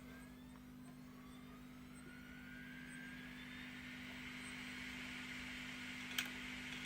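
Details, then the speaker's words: Failing hard drive powered by a computer power supply spins up with a rising whine, then gives two sharp ticks: the click of death. "Ooh, yeah, this hard drive is bad. Hear that tick? That's what's happening when you hear your hard drive giving that click of death that they always talk about."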